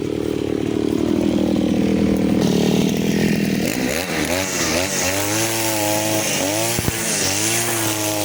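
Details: Side-mount two-stroke brush cutter with the blade carburettor setting, now cutting short grass with nylon line: revs surge and sag and can't hold speed under load. The mixture is too lean for line, so power is lacking. Next, the mixture screw under the carburettor gets turned a half turn.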